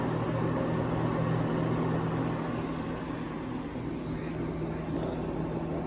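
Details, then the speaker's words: 1960s Rootes Tempair portable air conditioner running just after startup: steady low hum, faint hiss, possibly refrigerant flowing; condenser and evaporator airflow with squirrel-cage fan, already cooling; quiet, no knocking or rattling, normal running. "Now it's running. And it's really not that loud. It's actually pretty quiet."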